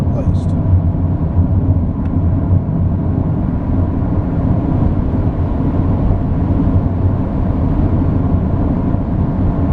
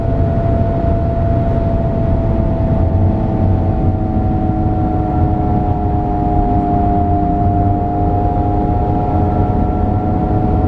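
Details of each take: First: Highway cruise at 110 km/h (about 65 mph) after front wheel bearing replacement: steady, even road rumble with no whirring or droning. The earlier loud whirring from the worn bearing is gone. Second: Vehicle at highway speed with a steady mid-pitched whirr over road rumble, persisting when off the accelerator, before replacing a worn front wheel bearing; noise gone after replacement at 110 km/h. Finding: worn front wheel bearing.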